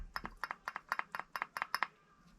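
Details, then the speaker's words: 2010 Cadillac Escalade, front wheel hub rocked by hand with the tire off: paired metallic clicks about four a second from excessive play. A worn front wheel bearing, which had caused a hard metallic grinding noise, is being replaced with a new ACDelco unit. "that's how loose this wheel was um it started making a grinding noise in a in a very you know hard metallic noise and you can see how much that moves"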